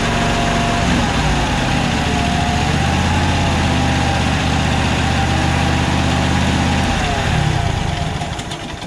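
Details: Toro 74237 Z528 zero-turn mower engine after repairing bad fuse block connections and a loose ignition switch terminal with new harness pigtail; steady even fast idle, no misses or knocks, battery now charging to 14.2 V. Normal running.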